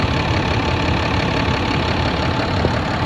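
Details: 2010 Dodge Ram 3500, about 100,000 miles, after tightening fitting (18mm wrench) to fix hissing under dash (power steering suspected): steady smooth idle rumble, no hiss or whistle left; normal idle.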